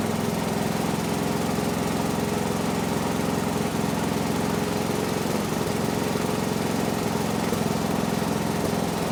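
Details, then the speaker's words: 1970s Massey Ferguson MF-12 garden tractor, Tecumseh 12 hp single-cylinder, freshly running after the cracked head was replaced: steady thumping about three a second but slightly uneven, idle not settled; owner suspects the carb. "Doesn't quite like to idle yet, but might have to go through the carb."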